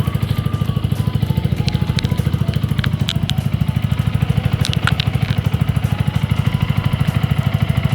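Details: Yamaha R15 V2 idling just after an oil change to Motul 5100 Ester, circulating the new oil: a smooth, even single-cylinder idle with no knocks or ticks; owner finds it smoother.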